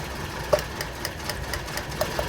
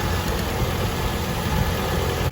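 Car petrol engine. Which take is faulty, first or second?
first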